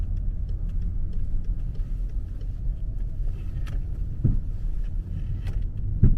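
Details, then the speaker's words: 2009 BMW 5 Series, nearly 40,000 km, driven at about 20–30 mph while turning: two dull clunks from the rear, alternating sides with steering direction; a loose tie-rod ball joint was ruled out. "感觉后边跟有东西似的。哎，感觉一会儿在左，一会儿在右。你往左打的时候，它右边撞得响；往右打的时候，左边撞得响，感觉。"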